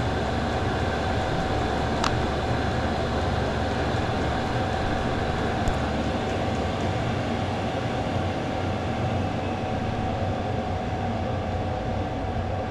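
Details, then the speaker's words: Diesel air heater newly installed in a shed, battery powered: after switch-off the fuel pump stops ticking and the fan runs its normal cool-down sequence, about a minute, an even constant rushing blower with a faint steady tone. "And then you can hear the fuel pump is switched off, and now it goes through its cool down sequence. It'll take about a minute."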